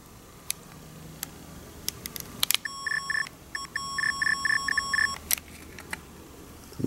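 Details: 1980 ATC/American Bell AutoMatic TelePhone answering machine's PC25 pocket coder, with a new battery, sending its message-retrieval tone: a quick run of steady, pure electronic beeps with short even gaps over a few seconds; working properly, indistinguishable by ear from the erase tone.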